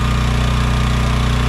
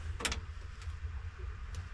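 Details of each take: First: AGT Industrial H13R mini excavator, first start after sitting all winter in mud with battery left in; slight struggle starting on choke at about 3/4 throttle, now a steady, even low chug with no misses or knocks, idling to warm up normally. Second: AGT Industrial H13R mini excavator buried in mud all winter with the battery left in, cold-started on choke with throttle about 3/4; brief crank then catches and runs steady about four seconds; slight struggle but it started.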